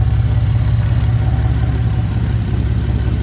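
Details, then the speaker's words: Nissan 370Z idling after Z1 Motorsports intake install, engine still misfiring: deep idle with chopping, puffing pulse about three times a second and occasional stumbles, caused by a leaking exhaust flex pipe; new Y-pipe planned. "the flex pipe right here is leaking that's why you hear that chopping noise and the carbon monoxide"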